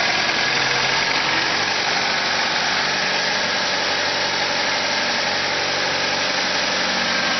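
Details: Car engine holding a steady, busy raised idle with no dip or hunting; it revs up at cold start and in P or N until shut off. Owner suspects a vacuum leak; carb cleaner spray test found none.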